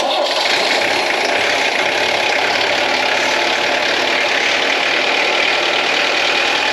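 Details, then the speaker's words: Ex-French Army Peugeot P4 (shares parts with the military Mercedes G-Wagon) diesel, started in neutral after preheating, first start in probably 10 years: it catches straight away and settles into an even diesel clatter with no misses or knocks. A healthy start and idle. "again so there we go I didn't have to do anything started first time after probably 10 years so that's fantastic"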